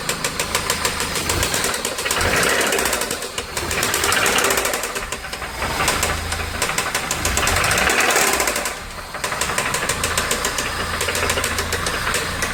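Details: VW AP 1.8 engine in a Santana, oil level correct with new oil and filter, no smoke; oil pump, hydraulic lifters, timing and camshaft already checked: loud uneven knock about 220 a minute rising with revs; connecting rod play suspected.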